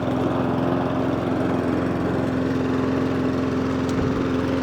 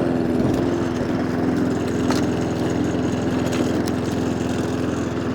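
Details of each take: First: Mountfield SP454 lawn mower after a hunting and surging repair, with the slow-running idle circuit suspected as the cause: an even, steady engine drone at one pitch with no hunting, where it used to start hunting within seconds; normal running. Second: Mountfield SP454 lawn mower with an inoperative throttle cable: engine runs with a slightly uneven, wavering note instead of a steady idle; hunting from a blocked carburettor slow idle circuit.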